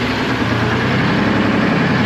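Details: 1975 International Loadstar 1850 with Detroit 6V53 two-stroke diesel, first start after fixing loose fuel lines and feeding from a bucket: steady, busy low idle with even, rapid chatter and no misses; runs normally.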